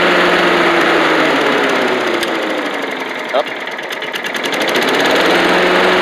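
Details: Old Rover Turbothrust mower built in Brisbane, Australia, just started on a second try, its 12-volt generator working: a steady, even drone with no misses or surging. Normal running.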